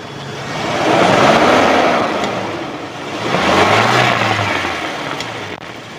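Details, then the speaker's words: 1997 Toyota Kijang Kapsul LGX engine revved twice and settling, clean even exhaust note, no knocks, ticks or odd noises, no white exhaust smoke; normal running engine. "itu suaranya mesinnya masih tetap normal tidak ada suara yang aneh-aneh atau tidak ada suara-suara yang janggal"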